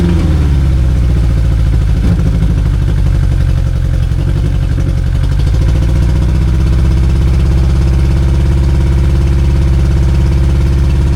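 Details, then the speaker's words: 2002 Yamaha 90 hp outboard after two years sitting: steady, fast, slightly uneven idle with buzzy drone, sitting well above normal speed; a leaking carburetor keeps it idling high. "See, it's still leaking a little bit here. See, it's leaking a lot. So, that's one of the reason it's not idling properly."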